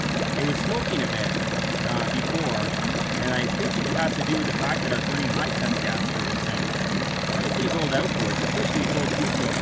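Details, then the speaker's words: 1987 Johnson 9.9hp two-stroke outboard after new top and bottom crank seals, spark plugs and carb tuning: low, even buzzing putter at idle with no stumbles or knocks; very clean, little smoke, still good compression, running better on 87 octane. "Really idles down nice. Very clean. Very little smoke. Still has really good compression."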